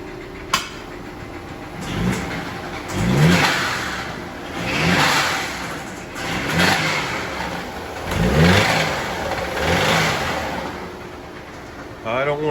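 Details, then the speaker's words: Audi 2.0T TFSI, stripped for parts, revved in short blips: dull knocking from the bottom end rising with revs; owner suspects rod knock and thinks the engine is likely junk. "so definitely sounds like a rod knock something's not so happy in the bottom"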